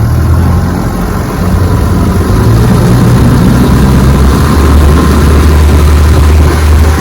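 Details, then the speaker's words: 1958 Johnson FD-12 18 hp outboard, completely restored, on a 14-foot Feathercraft during a bayou test run: loud two-stroke drone flares to high RPM under throttle without settling under load. Prop is slipping. "Got a slip prop. The prop is slipping. There's a rubber hub inside that prop that over time can harden and it slips."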